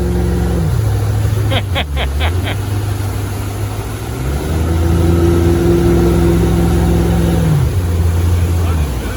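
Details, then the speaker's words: 1979 Bayliner inboard engine, just reassembled, under throttle on the lake: steady, even drone holding pitch with no knocks or misses; oil pressure, charging and temperature good, running amazingly under load. "It's running actually amazing."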